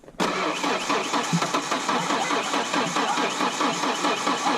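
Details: 2.3L Ford Ranger with 5-speed, freshly fitted with 2.5L head after bad valve job killed cylinders; starter spins engine with even rhythmic churn, about two beats a second, never catches; crank no start.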